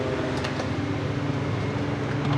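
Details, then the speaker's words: Walk-in freezer evaporator fans running after repair; fan failure likely the frost-buildup problem; set at about 32, sight glass solid; steady even fan hum with low motor drone, no scraping or wobble; normal, freezer getting colder. "Listen to that. Listen to that. That must have been what was wrong. She feels like she's getting colder."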